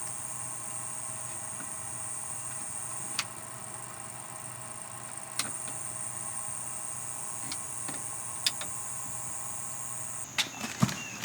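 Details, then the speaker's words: Old truck camper power converter, heard near the breakers: a steady high-pitched whining screech for about ten seconds, then it cuts out; the noise varies with the lights switched on; failing unit replaced with a lithium-compatible converter. "but the old one that's in there is making a terrible screeching noise, whining screeching noise, and it's just very annoying."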